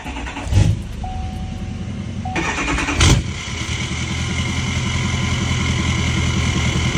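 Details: L5P Duramax diesel: starter whirs, engine catches and settles into a lumpy, irregular idle suggesting a misfire. Owner worries about a bad injector, unconfirmed.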